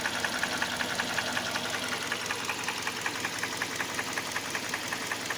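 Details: Hyundai Elantra 1.8 petrol at idle: sharp, light, very regular metallic tapping close to two a second. Present cold and warm, stronger with rising revs; internal knock, source unknown.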